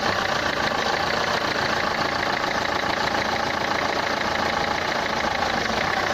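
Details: Renault Clio 3 1.5 dCi 105 hp diesel at idle: a hard, rapid clatter sharper than normal combustion rattle, described as a sound in the injectors, pointing to a knocking injector.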